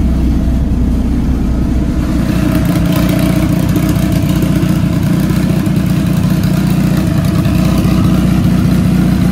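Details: Dodge Caliber SRT4 just fitted with a Precision 6266 turbo, coated manifold and new gasket, idling to warm up: steady, even four-cylinder rumble with no puffing or leak hiss. Normal idle, but it still needs a new tune.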